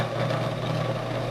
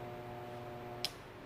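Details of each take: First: Garen 1 HP gate motor after its faulty coil/stator was replaced with a new 30 mm stator, run both directions on mains power: steady even electric hum with low drone underneath, running smoothly and normally. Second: Garen 1 HP gate motor tested directly on mains in both directions: steady electrical hum with no rotation, cut off by a click; it won't turn either way, so the stator is burnt and gets replaced.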